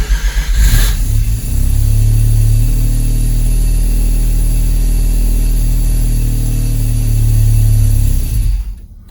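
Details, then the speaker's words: Mazda RX-7 Turbo II rotary, cold start in winter after about three months of storage, idling with no throttle: deep rumble with a faint uneven pulse; owner suspects it needs more low-end fuel enrichment and thinks the low-end tune is bad. "It's pretty cold. Yeah, I haven't really, it sounds like it needs more fuel. So this is, again, no gas pedal. So I think it needs a lot of enrichment in the low end."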